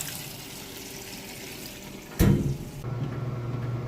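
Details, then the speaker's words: Whirlpool washer, part of a matching set, under a full function test: a quiet hum, then a sudden rush of water settling into a steady low pour into the tub. A normal water fill. "And we will also, while it's filling up here, go ahead and show you that model number."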